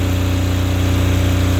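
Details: Apache diesel generator without glow plugs in freezing weather, after a cold no-start traced to an iced-up needle that was heated: steady even low diesel drone with a smooth regular pulse and no misses, running normally.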